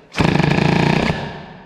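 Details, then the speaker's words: Peugeot 103 moped, air-cooled Stage6 MK2, testing MVT DD CDI after silencer retightened: catches a second with fast ragged buzzing then dies; hard starting, owner suspects too little ignition advance. "Je connais le bestiau, ça, quand on en chie à démarrer, c'est qu'il n'y en a plus assez."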